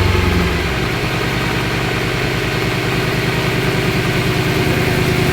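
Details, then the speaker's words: BMW E92 M3 V8 on first start after new rod bearings, Liquid Moly oil, still cold: steady, even idle with smooth low rumble, no knocking or ticking; no leaks, healthy cold idle. "We don't have any leaks. It sounds good, nice and healthy."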